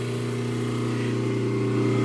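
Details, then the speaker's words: 3D print shop three-phase converter idler motor switching on after the wiring box was closed: a steady electric hum rising quickly as it spins up and settles, starting within 2 seconds as specified. A normal start. "the motor kicks right up just like it's supposed to they say it should start within 2 seconds and it did starts immediately so I can feel her humming and running"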